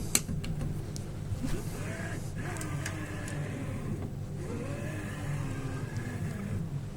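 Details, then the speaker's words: Prusa i3 MK3 X-axis after replacing grooved rods and bearings and evenly tightening the U-bolts: soft stepper whir gliding in pitch over room hum, no scraping or rattle; far quieter than the first build's racket, only the stepper heard. "That is a massive difference. I don't know how many people here heard my bloomin' hell. That first build, my first live build, when I got the X-axis on and I moved it, and it did make a pretty horrendous racket. But that is a lot quieter. The only noise there is the stepper motor moving. That is good."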